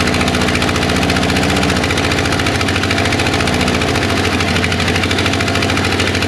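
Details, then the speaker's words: 1961 Ford Unibody truck with a 1968 Mustang 302 V8 and C4 automatic, first start after 29 years, Marvel Mystery Oil burning off and smoking: loud, lumpy idle with uneven beat and a light knock underneath. "yeah I mean sounds like something's been sitting forever we're gonna call that a win"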